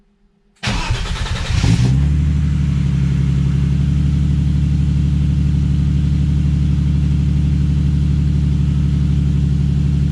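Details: Turbo BMW M52 E30 with a home-fabricated full 3" turbo-back exhaust (Vibrant Ultra Quiet resonator, Street Power muffler), electric fan disconnected. Cranks, catches and settles into a deep, even idle with a steady burble, no misses or knocks; normal idle.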